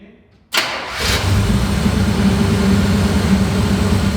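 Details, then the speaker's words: 1965 Chevy Impala V8, first start after sitting over 10 years, once the failed ignition control module in the distributor (the no-spark cause) was dealt with; battery reconnected, key start. Brief crank, catches at once, steady even idle; normal start. "start it up sir let's see let's see how easy it starts with the key just like that"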